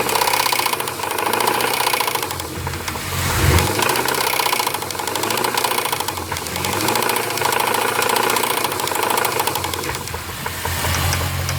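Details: Steady, sharp knocking tapping at idle from a Jeep Grand Cherokee 4.7 V8 with 158,000 miles, seemingly from the passenger-side cylinder closest to the firewall; cause unknown.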